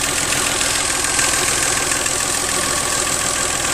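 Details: 1997 Geo Metro: a faint light tick, roughly three a second, rides over the small engine's steady idle, plus a tiny whisper; source unclear.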